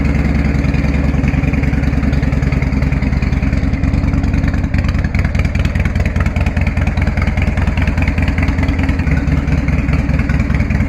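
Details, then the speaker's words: 1999 Harley-Davidson FLSTF Fat Boy V-twin, cold start on choke after an oil, filter and primary oil change. It idles with a deep, steady lope of about 2.5 pulses a second and no knocks or ticks. Normal cold-start idle. "Don't you just love that sound? I think we're good to ride."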